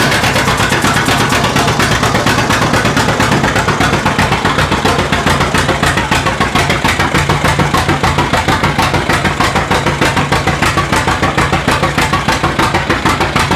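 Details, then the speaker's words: 1936 John Deere A two-cylinder, mostly new engine, first run in decades after timing fixes, hand-cranked, warming with residual oil burning off; slow even putt-putt about a hundred beats a minute, no misses or knocks; normal running. "Pull it. It runs. Sounds good."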